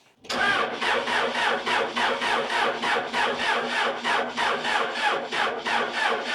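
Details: Neglected Case 580 Super L backhoe diesel, cranking with all injector lines cracked to bleed air: steady cranking about three compression beats a second, never catches; fuel reaches injectors 1 and 4 most, air still in the fuel system.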